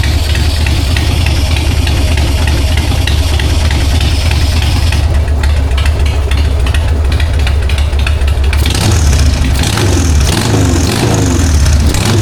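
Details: 1999 Harley-Davidson Sportster 1200, S&S Super E carb, in neutral after new accelerator pump (previously sputtered on throttle): deep loping V-twin idle picking up cleanly on throttle without stumbling. Normal idle and revving.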